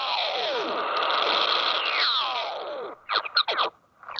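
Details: Harsh rasping hiss with sliding whistles, then choppy bursts, heard around 28 MHz on an Icom 7300 transceiver; radio frequency interference from a fax machine.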